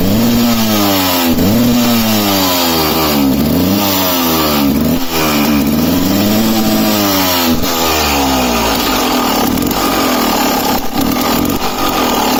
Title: KTM EXC 300 2007 running incorrectly/misfiring [Swedish]